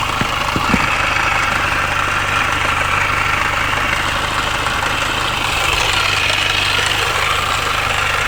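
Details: MINI R53 petrol engine idles with a light, uneven metallic rattle through its steady hum; source unknown despite replaced timing chain tensioner, timing chain guides and PCV valve.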